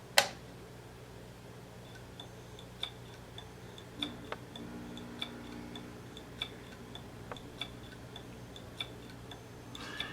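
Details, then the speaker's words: Two 2.5-inch Toshiba hard drives tested at power-up; this second drive makes sharp, dry clicks about once a second over a faint whir and never spins up properly: failing heads, drive not accessing data, click of death. "you can hear the clicks and when you hear the clicks that means it's not you know basically accessing the data on the drive or it has issues trying to access that on the drive so uh you could pretty much say that it is a wrap for this disk"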